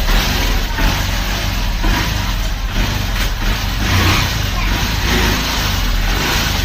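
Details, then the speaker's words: Honda Livo motorcycle after clutch plate and clutch hub kit replacement, pickup check under load: steady, even engine drone pulling cleanly with no slipping or knocks. Clutch biting properly, pickup restored. "गाड़ी भी जो है pickup आ चुका है।"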